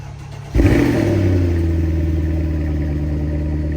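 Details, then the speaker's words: 2007 Mercedes-Benz CLS63 AMG (W219) cold start after battery replacement, first start in about 6 months: starter catches at once, brief flare, then settles into a steady, even idle; clean start. "And then we'll start it up. This is going to be the first time it starts up in maybe 6 months."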